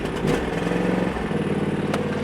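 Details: John Deere Z375R zero-turn mower with 54-in deck, V-twin engine: brief clatter then steady, even idle, running smoothly with PTO off and brake on; normal idle, nothing wrong heard.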